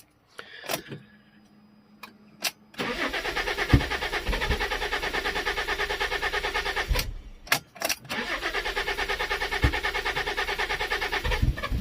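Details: Neglected Fiat Stilo Abarth petrol engine, throttle body connector and hose removed to test the ECU: long steady cranking about three beats per second, paused and repeated, never catching; hard start, later traced away from ECU, cause unconfirmed.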